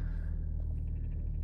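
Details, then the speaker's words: 2011 Chevy Cruze 1.8 L, about 174–175k on the odometer, first start after a tune-up with new spark plugs; smooth, even low rumble with no knocks or misses while the idle settles down; normal idle. "engine sounds good wait for the idle to come down once that's done um I'll be back"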